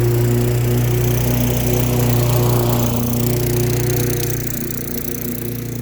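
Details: Lawn-Boy mower with a Tecumseh 4.5 hp four-stroke engine, revived after sitting 20+ years, cutting grass: steady, even drone with a constant low hum and no misses or knocks. Normal running under load.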